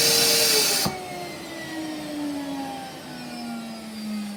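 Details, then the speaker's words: Electrolux central vacuum main unit in basement, nothing hooked up upstairs, outlets closed: loud steady motor roar, then sharp pop and lower sagging whine as suction relief valve opens; normal. "So if you could hear that, the suction release valve popped open, and that's because there's nothing hooked upstairs to anything. So all the outlets for the vacuum are closed."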